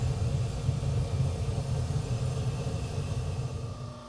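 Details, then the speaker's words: Waste-oil (WMO) burner on a boiler heating a shop and house: a steady low roar of firing that drops away as the flame cuts out, with the air compressor running in the background; shuts off unexpectedly, cause unknown. "well it ran for a while and then kicked off but you can hear the uh air compressor running in the background I'm not real sure what's going on with it"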